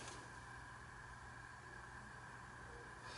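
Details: SMC Laguna metal-blade industrial-type ceiling fan with variable-speed switch, no reverse, started on a capacitor decade box (starts at 4 µF, running on 5 µF, drawing about 0.19 A): quiet steady low hum, faint even whir, no scraping or rattle; normal running.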